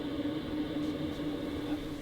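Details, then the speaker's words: BougeRV diesel heater in a DIY travel trailer, turned down to 1.4 kW: a quiet steady hum with soft air rushing through the duct, no pulsing or ticking. Noticeably quieter, running normally on low. "Going to turn it down. Not sure if you can tell the difference, but it has gotten a lot quieter since it's gone down to 1.4 kW."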